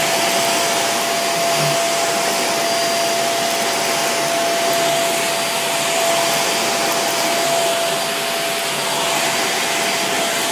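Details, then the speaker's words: Greenote corded AC stick vacuum (18 kPa, HEPA, bagless) vacuuming a mat rug: constant airy rush with faint steady whistle, no rattles or surges; runs very quietly and smoothly apart from a strange harmonics noise when lifted. "And again, besides that strange harmonics noise, the vacuum itself runs very, very quietly."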